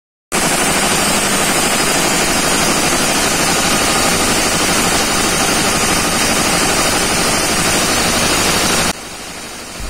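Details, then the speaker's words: Diesel idle: a harsh, rapid puffing chuff of compression leaking at the cylinder 1 injector; the copper sealing ring or seal is suspected. "bocor ya ini ini bocor ini dari suaranya sudah seperti ini ya bocor ini ini silinder nomor sat e sudah dipastikan bocor nah kemungkinan ring tembaganya ini atau sealnya ya"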